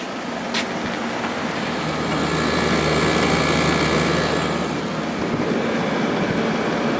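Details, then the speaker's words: 2003 GE 12,400 BTU Samsung-made air conditioner after cleaning, compressor just started at 7.3 A and 727 W with pressure building: steady fan whoosh over an even compressor hum, no rattles or cycling; pressure sounds good, running normally. "Let's let this run for a while and let the pressure build. The pressure sounds good."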